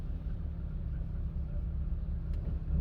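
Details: Petrol car with a sudden fault, found leaking petrol, with lambda sensor and injectors suspected. Uneven, lumpy idle with a steady chug, like a dead cylinder; head gasket failure suspected, though owner thought it unlikely.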